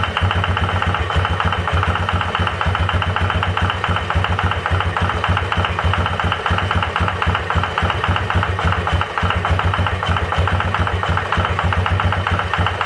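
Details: 2005 Yamaha Wolverine 350 4x4 single, carburetor rebuilt, throttle cable replaced, valves in spec: steady idle with a dull, fairly regular knock every few beats; owner's stethoscope suggests the bottom end, suspected rod knock, unconfirmed.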